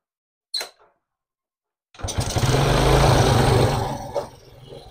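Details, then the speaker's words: Suzuki Smash 4-stroke motorcycle that was hard to start and needed the carb choked: after repair, it kick-starts easily without the choke and revs briefly before settling into a steady, even idle. "nah jadi ini bisa stasioner atau bisa langkang untuk hidupnya juga Gampang sekali engkol dia enggak perlu buka enggak perlu tutup karbu ya untuk menghidupkannya"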